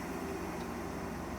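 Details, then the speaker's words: Restored 1965 Craftsman bench grinder with oiled original sealed bearings and new wheel, unclamped, winding down: soft even hum fading gently, no wobble, knock or rattle; zero vibration, bearings and wheel smooth. "i'm actually gonna run it real quick on here with the clamps not on and i bet you this thing will stay perfectly put now here it winds down"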